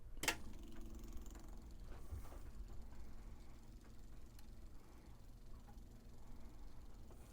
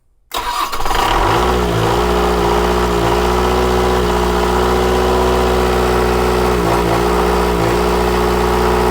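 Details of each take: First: 1979 Hatteras 58' boat's Onan diesel generator, newly installed switch set to prime: faint, steady low electric hum with no surging or rattling; electric fuel pump priming normally while chasing fuel supply issues. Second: Onan diesel generator on a 1979 Hatteras 58' boat, with fuel supply problems, just after priming the electric fuel pump: catches and runs, but speed sags and recovers every second or so; owner suspects a little air still in the line.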